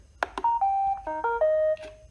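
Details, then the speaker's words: Failed iRobot Roomba under six months old: two sharp relay clicks at startup, then startup melody, with the blower fan not spinning up; blower motor or internal electronics suspected. "I do hear a relay clicking inside of there when it goes to start up"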